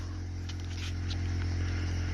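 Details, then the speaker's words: Cadillac hearse, first start in about 5 weeks after a battery charge: steady low electric hum with a fast even pulsing buzz from the rear air ride compressor while the dash reads "car is leveling", raising the back. "That noise you're hearing is the compressor of the at the back. It's got a little thing now, it says car is leveling."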